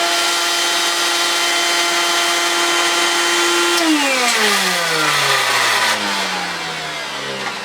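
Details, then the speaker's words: 1970s Hoover Constellation vacuum: steady high motor whine with coarse buzzing edge, pitch falling as it spins down; rough vibration, owner suspects the bearings (spins okay by hand, oiled), cause not confirmed. "it's just that vibration it's not happying it could be the bear Rings it spins okay by hand"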